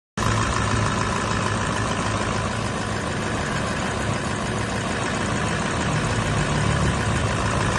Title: Toyota land cruiser vx 200 diesel engine knocking, low power, engine oil reduce oli mesin berkurang